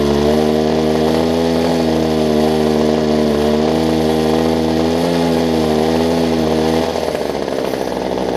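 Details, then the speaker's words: Older Homelite two-stroke hedge trimmer, fuel line renewed, starting easily: steady, even high-speed buzz dropping slightly near the end; runs normally, just needs warming up. "I'll say that it runs real quick I'm not even promised they'd probably start on show there we go the only thing is you gotta let it warm up"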